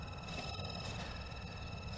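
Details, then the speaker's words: Mercedes cabin blower fan on its lowest speed, panels dropped: steady high-pitched screech over low fan hum, quieter when a thumb covers the bottom hole; the blower motor bearing is evidently dry and squealing. "now evidently it must be coming from the the bearing i can't think of being anywhere else"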